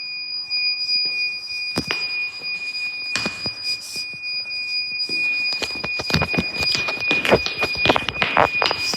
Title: The iPhone Discovery 1—Weird Beeping Noise at Westminster School Amman (read description)